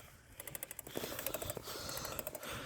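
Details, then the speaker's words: Bicycle wheel spinning: light, rapid ticking several times a second, somewhere in the wheel; owner thinks it may be coming from the front axle; cause unknown. "It sounds like it's coming from the front axle or something or another."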